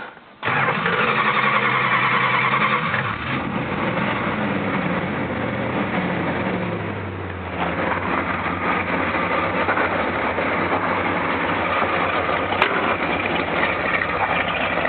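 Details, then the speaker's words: 1967 Plymouth GTX convertible with a completely rebuilt 440 V8, zero miles, "sack" exhaust: catches at once and settles into a deep, even, smooth idle with no knocks or misses; normal start and idle. "these are sack exhaust if you can see how good they sound"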